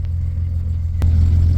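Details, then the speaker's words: Fuel-injected Dodge D100 truck after a new PCV valve: starts right up, low smooth rumble settling into an even idle with no knock or miss; the engine sounds healthy. "It starts really smooth. I gotta give it that. It starts right up."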